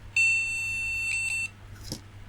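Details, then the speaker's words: Retro ATX PC at boot after swapping and cleaning a graphics card: single steady high POST beep of about 1.25 seconds indicating no graphics card detected, though possibly no monitor; another card to be tried. "and now he's basically saying there's no graphics card I think I'll try another one"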